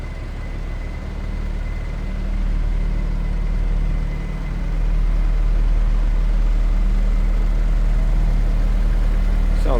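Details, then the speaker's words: 1975 Chevrolet Vega 2-door hatchback, hood closed, no dash lights, coolant light normal: steady even low idle, no knocks, misses or ticks; runs pretty good; normal idle. "like it's running pretty good."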